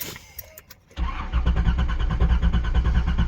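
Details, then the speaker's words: Nissan 300ZX that sat 12 years, on jack stands, in neutral, fuel pump audible: steady starter churning about three beats a second, engine turning over but never firing; owner suspects no spark. "Nope. Still nothing. Well, yep, definitely a spark issue."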